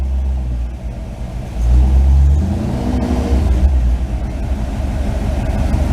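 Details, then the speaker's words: V8 with a rebuilt electronic MSD distributor (burnt control module had caused stumbling, stalling and no restart), new coil and new plugs, still a little cold: fires right up, smooth even idle and throttle response, battery charging; normal running. "Nice and smooth. Battery's charging. A little bit cold. She didn't warm up that much. Just fires right up."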